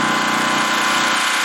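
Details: Four-year-old Champion 3800 running watt dual fuel generator on its original battery, running after an electric start without priming: short stretch of steady, even, mid-pitched engine drone with no surging or knocking; healthy.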